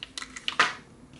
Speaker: So you hear that? That's the driver rattling on the right cup.